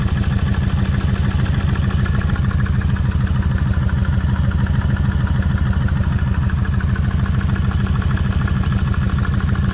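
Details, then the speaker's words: Kawasaki Vulcan 1600 V-twin idling, mic held near front cylinder cam chain side: loping idle with busy clatter on each beat; front cam chain slack and rattling louder than rear, front adjuster needs backing out and resetting. "like me it's a lot noisier on this side than what it is over here so that tells me I need to pull all this off redo the same thing back that adjuster out let it click that one click that final Click put everything back together"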